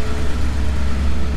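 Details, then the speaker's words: 1990 Mercedes 560SEC AMG, long-sitting, restarted after freeing and cleaning a stuck part: steady, even low rumble idle, no misses, rattles or hunting; smooth normal idle. Owner suspects an injector may be sticking. "oh yeah i think that did it idol is nice and smooth"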